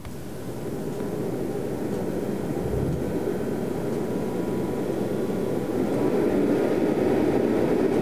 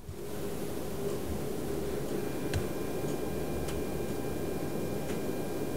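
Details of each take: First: Rigol DP832 power supply's cheap stock cooling fan, recorded at startup with very high amplification (clock ticking in background): steady loud airy whoosh swells as the fan spins up and holds; horribly noisy fan, later replaced with a Noctua NF-R8. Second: Rigol DP832 power supply after replacing the noisy stock fan with a Noctua NF-R8, startup recorded with very high amplification: only a faint, soft, even hum under a clock ticking about once a second; the new fan runs almost silently.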